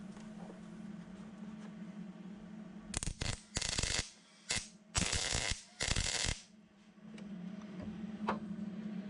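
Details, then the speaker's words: Vintage Hobart MIG welder after torch O-ring replacement, previously porous welds: choppy bursts of harsh crackle stopping and starting unevenly over a low hum, arc not settling; wire feed speed issue suspected, no porosity seen in new weld. "although that sounds a little weird I think it's a wire feed speed issue"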